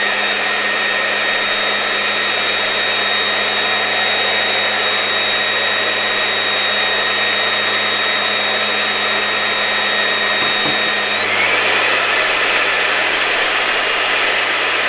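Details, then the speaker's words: LG V-3340D vacuum cleaner after replacing its loud-running motor (old one suspected bad bearing) with a new no-name 1400W motor, fed through a voltage regulator starting at reduced voltage: smooth, steady high whine rising cleanly with voltage, no crackle or rubbing, no excessive sparking; normal running. "And it seems to me that our new motor is working very well."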